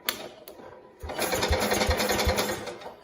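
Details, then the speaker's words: 1969 Cub Cadet 105 single-cylinder with a long-standing hard-start problem, hydrostatic transmission pump pulled: starter spins it freely and quickly, about three and a half even compression beats a second, no drag; much easier cranking than before. "I can already tell how easy how much easier now it's spinning than it was before"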